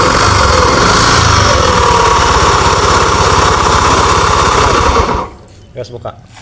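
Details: Honda Beat FI scooter idling with the CVT ratio not turning, yet a loud, coarse rhythmic rumble of about four pulses a second persists, so the noise is from the engine, not the gearbox. Crankshaft bearing wear.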